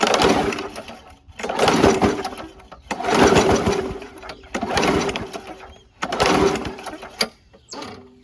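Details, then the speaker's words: WeedEater 21" push mower, Briggs & Stratton 500 Series 158cc: slow laboured pulls with weak puffs, never catches, starter drags hard; owner suspects flywheel brake sticking or rusted cylinder, spark plug next checked. "It's puffing, but it is really hard to pull over."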